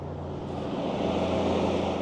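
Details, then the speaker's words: Car with an unreliable temp gauge (owner suspects only the gauge-cluster sensor): fan kicks on; steady even whoosh of air with low hum underneath, no rattles or scraping; radiator cooling fans coming on as they should. "As you can hear, the fans are coming on just as they should."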